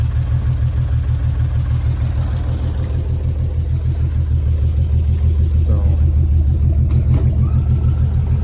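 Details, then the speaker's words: 1953 Chevy 216 with bent-pushrod history, idling after Marvel Mystery Oil added and about 15 more minutes running: steady even idle with soft fan whir, no lifter ticking from the top end; valvetrain quiet and healthy. "it's running pretty good now it's been running here for another 15 minutes and I can't even hear any lifter noise now so I can actually just hear the fan run"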